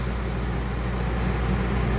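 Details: Dometic rooftop air conditioner on a likely 2009 camper, a sealed R22 system, after recharging, at about 40 PSI against a 50–60 PSI target: steady, unchanging compressor and fan hum with no rattles or cycling; running normally, and the refrigerant loss implies a leak.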